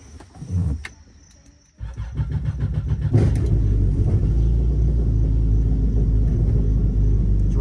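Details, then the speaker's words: Yamaha jet boat starting after a Solas stainless steel impeller housing was installed (OEM housing swelled) and the cone bearing and intake screen were serviced. Cranks, catches and settles to a steady, even rumble; a little noisy at first, then quiets. Pump running normally. "start it up it's a little noisy at first but then I don't know once the water got going and it I don't know if it seeded itself a lot of quieted right down"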